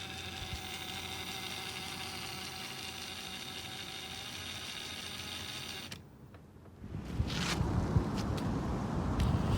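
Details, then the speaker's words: Traxxas TRX-4 RC crawler after greasing its dried-out transmission. Steady, even motor whine with smooth gear hum and no more ticking: the drivetrain now runs normally. "now it's okay no more noise like it's normal already"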